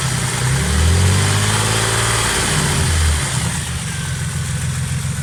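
Steady idle with a dull, fairly regular knock of about four per second that rises with the revs; something is knocking in the bottom end. Cause suspected, not confirmed.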